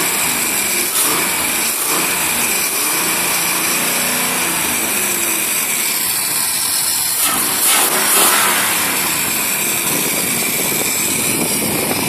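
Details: Marlin Roadster engine after disconnecting a pipe that had caused a whine: revs up and settles back to idle with an even, steady note and no whine; normal running.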